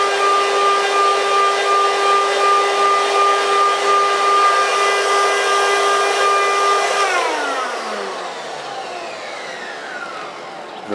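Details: Eureka upright vacuum with no suction and belt burning smell, run with belt removed: steady high motor whine with clean even tone, smooth falling pitch on coast-down; motor itself runs fine, brush roll drag was the issue.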